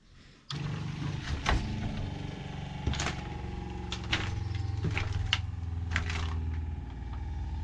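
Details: Shurflo freshwater pump with accumulator in a van water system, first test after tightening fittings: pump clicks on into a steady, even low drone with no surging or rattle; running normally, no leaks.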